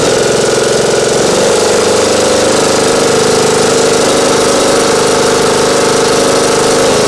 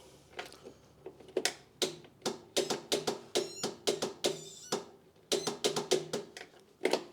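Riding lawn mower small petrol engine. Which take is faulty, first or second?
second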